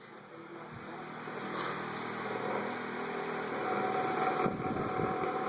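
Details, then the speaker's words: Vintage 1987 Galaxy 2154 9-inch push-button fan on high with oscillation on: whirring with an uneven light rattle from the oscillation mechanism, heard only while oscillating. "Turn the oscillator on. Rattles a little bit when it oscillates."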